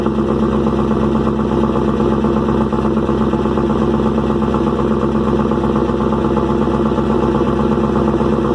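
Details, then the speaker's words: First cold start of rebuilt engine with new lifters, stock pushrods, thin 0.027 in intake gasket, smoking and oily, loud exhaust: cranks right up, loud busy clatter over steady idle, noisier than expected; cause unknown, excessive engine noise on cold start. "do well it cranked right up motor is a little noisy i'm not sure what that's about"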